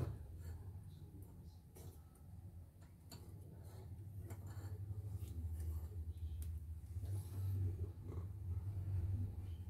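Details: CNY embroidery machine after repair (was dead, heavy rotation, messy stitching), test run: steady low hum, scattered light clicks, no harsh rattle; sound now smooth versus rough before; worn rubber noted.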